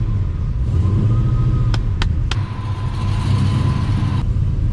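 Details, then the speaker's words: 1972 Dodge Demon 7.0 Hemi V8 with Magnuson supercharger (about 7 psi at altitude), Holley management, Aeromotive fuel; deep even rumble under load with faint blower whine, no misfire or knock; purring, injector pulse width 3 ms, fuel flow 6.5. "She's purring now. Feels looking good."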